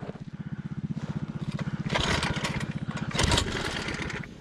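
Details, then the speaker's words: 1980s MTD mini bike with swapped-in Tillotson 212cc engine, climbing a steep high-altitude off-road trail: slow, labored single-cylinder thumping turns uneven and sags under load, rider running alongside, engine bogs and stalls. "oh he's having to run next to it already running next to it oh it sounds bad it did it did stall"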